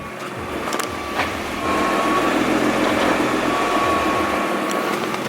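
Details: 2014 Nissan GT-R with Cobb Stage 2 tune, idling after a Cobb Accessport TCM transmission tune during gear relearn: sharp clicks every second or so as the gearbox cycles through gears; normal relearn clicking.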